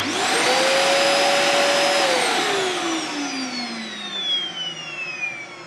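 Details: Dyson DC40 vacuum: a loud roar carries a piercing siren-like wail that holds high, then sags and falls away as the motor winds down after switch-off; abnormal whine, cause unknown.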